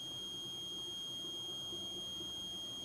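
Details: Samsung CRT TV that was dead, with no screen, no LED and only a tik-tik sound: the removed power transistor, marked 1803, gives one unbroken high meter beep, so it is shorted and will be replaced.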